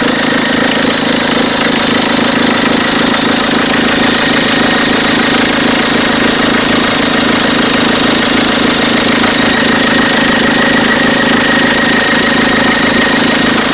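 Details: Peugeot 206 2.0 HDi 90 hp XS, 2003, diesel at idle: odd engine noise, a busy, slightly uneven clatter over the steady hum; exact source unclear.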